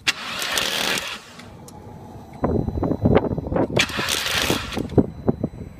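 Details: 2002 VW GTI 1.8T that won't start, scanned code P0341: the starter churns in uneven bursts with quick chuffs, but the engine never catches. Cause suspected, not confirmed. Crank no start.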